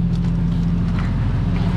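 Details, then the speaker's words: Long-sitting Jeep Cherokee idling while running Seafoam and smoking heavily. A steady deep idle with a faint quick ticking puff in time with the engine points to an exhaust manifold leak. "clearly has an exhaust leak right down there but the seafoam is doing what it's supposed to do"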